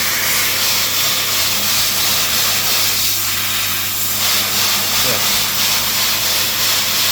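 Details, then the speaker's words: Profi drum filter on a fish tank, the cleaning booster pump swapped for direct mains water (hoped for 3 bar): strong, steady hiss of the spray jets with no sputtering; pressure is lower than before but adequate. "they feel there they feel well powerful enough so yeah the uh the pressure is not quite what it were but I'm quite happy with it"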